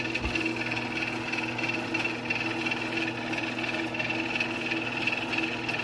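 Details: Old Genie Model 209 chain-drive garage door opener with code-card radio, bigger sprocket, closing; steady motor hum with faint rhythmic chain clatter, even to the limit, running normally.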